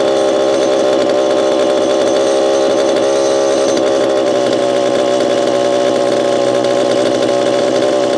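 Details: Repaired Homelite Super EZ chainsaw, boxed about two years after transit damage, on its first test run after reassembly. A steady, high-revving two-stroke buzz holds evenly throughout with no stumble or surging; throttle response is instantaneous: normal running.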